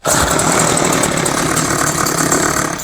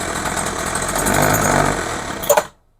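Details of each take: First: Craftsman 21cc two-stroke hedge trimmer, after rebuilt-carb metering-side rework, with choke on. A loud buzz climbs and holds high revs, stutters briefly, then catches and screams again. It is revving up, though later judged not getting enough fuel. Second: Craftsman hedge trimmer, 21cc two-stroke, with new fuel lines and a rebuilt RB-29 carburettor, tried at full, half and no choke: uneven surging and stumbling, then it dies. Carburettor metering fault, not getting enough fuel.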